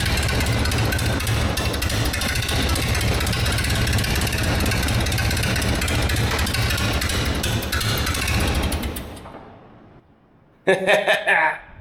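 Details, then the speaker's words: 1947 Tournapull D4 ("Flying Scraper") gas engine after sitting 10+ years, running in neutral with choke: runs steadily about nine seconds with a slightly lumpy beat then dies; carburetor needs fine-tuning and throttle control seems faulty. "All right, well, I think we have a little bit of fine-tuning on our carburetor to do here, and I don't think the throttle control is working quite right, but it runs."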